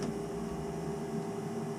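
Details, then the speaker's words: Navien NCB 240 combi boiler, about three years old: its circulator pump gives a steady, loud whine, still running but struggling; tech support confirmed it was worn out and it was replaced. "okay here's the culprit and CB 240 you can hear the pump actually whine and"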